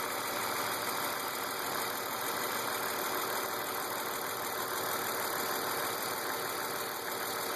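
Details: BMW E36 328i M52 at 175,000 km, with M50 intake and M3 headers/exhaust: light tick of about three per second under a smooth idle. Oil, sensors, injectors, lifters, tensioners, upper chain and VANOS seal were replaced and pressures checked; origin unclear.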